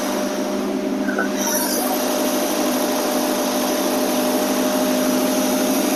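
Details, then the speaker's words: AMC 287 V8 Rambler idling at 725-730 rpm after timing was set, following carburetor, vacuum, fuel and exhaust leak repairs: a smooth, even idle hum with no popping, hissing or misses; healthy. "oh that sounds beautiful look at that's [Music] uh 725 right there 7:30 that was perfect timing is around the money"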